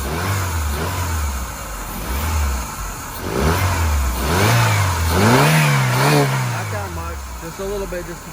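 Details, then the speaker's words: 2001 Saturn SC2 after battery refit: engine cranks, catches and settles into a low idle, then rises and falls with throttle blips; running again, still cold, check-engine light on, owner says it needs spark plugs. "and the Saturn is running oh my goodness huh I arrived it no you can let's see what the see what the RPMs are at and she's cold too"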